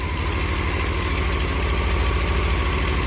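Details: 1984 Honda CBX750 after carb rebuild, at idle: low steady idle with a faint loose rattle from the front of the engine. Owner later blames the starter chain and orders new chain and tensioner parts.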